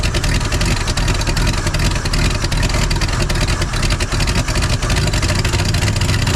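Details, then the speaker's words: 1968 Chevrolet C10 small-block V8 first started after sitting since 1996, using starting spray: rough-edged but continuous low rumble holding a fairly even beat with smoke from the exhaust; idling on its own. "Look at that. She's idling. Got some smoke rolling out back there."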